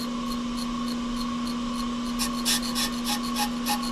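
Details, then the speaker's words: Off-the-car brake lathe machining a hubless brake rotor mounted with cup, spring and cone, bits just off the outer ridge: steady ringing hum with a rapid scraping rasp about three per second; rotor chatter, a dampener is to be added. "You hear that noise? That's bad noise. So, we're going to put a dampener on it and hope that goes away."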